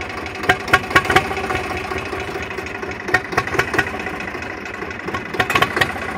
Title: Zebra 3520 rough idle